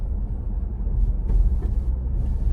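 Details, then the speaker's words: 2022 Ford Bronco four-door Badlands with MIC hard top, after fixing popping caused by a plastic pin rubbing in a bracket hole overhead; driving over a manhole cover, only low road rumble and dull thump, no roof clacking. "so you're hearing what i'm hitting in the road the the manhole covers but you're not hearing this remember a few minutes ago it was this little smallest bunk would make this clack clack clack"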